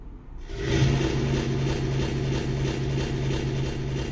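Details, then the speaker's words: Secondhand Yamaha SY22 synthesizer: harsh foghorn-like crackling roar pulsing about three times a second, worse when notes are played, on headphone and both outputs, follows volume slider; plays fine in test mode, cause unknown. "So um there's this weird crashing noise that's coming from it when you turn it on. Uh but mostly when you play uh when you play any notes."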